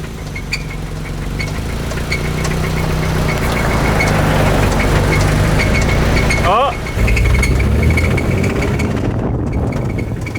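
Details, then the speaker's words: Toyota MR2 engine barely driven home: a rough idle with a heavy, deep, loose, uneven knock about three to four times a second, stalling and restarting, from severe rod knock. "It's knocking so bad, so it might stop at any point. Oh, it's very broken. It's making the worst sounds I've ever heard a car make before."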